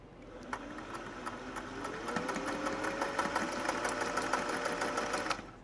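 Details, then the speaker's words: Singer 401A sewing machine, first run after decades of sitting, freshly cleaned and oiled: even, light ticking at about three stitches a second, rising smoothly with the foot pedal, no knocks or grinding; runs healthy. "That sounds really nice."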